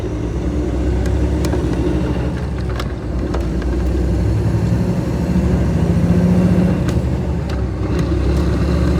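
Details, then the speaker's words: 2010 Kenworth T800 with about 1.3–1.4 million on it and a life of heavy work, hauling a 10-wide tilt float with a drill rig; heavy diesel drone with a low growl rising and falling with road speed, transmission growl, likely worn gears. "Yeah, you'll hear a lot of transmission growl coming out of it. The truck's got 1.3 on it, damn near 1.4 million, so near as I can tell, it's done lots of heavy work all its life, so."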